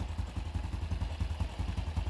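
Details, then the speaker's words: 2019 Honda Wave 110 after carb, top and side overhaul (gaskets, bearing, broken parts replaced, reversed clutch-side assembly corrected): steady low putter idle about nine firings a second, no clutch-side rattle; runs healthy and quiet. "Tunog pogi na, boss. Tunog brand nyo na."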